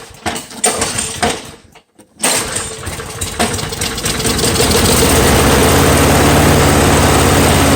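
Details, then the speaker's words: Free curb-find Snapper mower, Briggs & Stratton engine, reassembled and started on starting fuel with air filter off despite nicked piston, corroded carburetor and two twisted-off bolts: couple of sputters, then steady, even run; normal running. "and there you have it the snapper I thought would not run because of how poorly the engine actually is"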